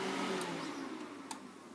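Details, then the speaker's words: PowerMac computer suddenly making a loud, even rushing fan whir that slowly eases off over two seconds while trying to boot from an install disc; cause unknown. "wash and the computers now started to uh do a to do a fan thing I don't know what that means"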